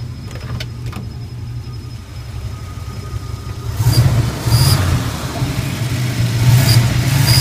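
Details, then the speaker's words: 1981 Turbo Trans Am V8 warm restart after a drive: slightly uneven idle with slight whistle, throttle blips bring sharp hissing bursts from the air management valve; rough idle. "Slight whistle coming out of it until I hit the gas, and then you'll hear that air management valve again. Seems like it's idling pretty nice right now. Give it some gas, you can hear that thing again."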